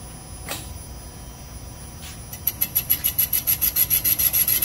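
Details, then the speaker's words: Mopar 360 small-block cylinder bore on a Comec boring machine, finish pass after straight roughing bore true to crank: cutter settles into even rasping rhythm about three strokes a second; clean finish bore. "And you can hear it sounds very even. So we established a straight bore in our roughing operation."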